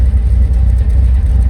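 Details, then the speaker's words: GMC Sierra V8 with aftermarket cam after rebuild, recorded outside at the exhaust with stock water-tank muffler and resonator: deep, choppy, loping idle with uneven pulses and slight shake; normal cammed exhaust note, no fault. "can hear the [Music] cam cuz it's good it still has the big water tank Muffler there's a resonator right there you can tell it's camed"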